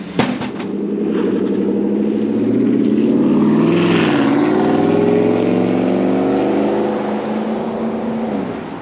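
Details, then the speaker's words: 2016 Chevrolet Tahoe 2WD 5.3L V8 after fitting a used stainless Corsa exhaust, one hanger omitted: deep, even burble rising smoothly with the revs and settling back, no rasp, drone or rattle, not overly loud; normal exhaust note. "sounds pretty good I like it it's not droney it's not raspy but it's not stupid loud either"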